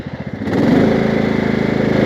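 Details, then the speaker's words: 1998 Craftsman DLT lawn tractor, 16.5hp Kohler Command OHV, freshly tuned with new fuel pump and rebuilt carburetor, low throttle: smooth, regular idle beat with no misses or hunting. "as you can hear it runs nice and smooth plenty of power"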